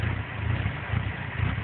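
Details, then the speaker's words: GSX idling almost at operating temperature with no check engine light: a low, uneven rough idle that surges about twice a second instead of holding steady. "Alright, here we are. This is how the car is idling. Almost to operating temperature."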